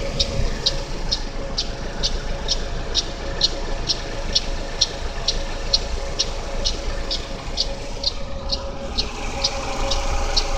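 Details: GM Daewoo Lacetti, 1.5L E-TEC II F15D3 inline-4 DOHC, at cold idle: light, sharp ticking about twice a second, loudest between the exhaust cam pulley and the power steering pump. It disappears after 15–20 minutes of running; cause uncertain.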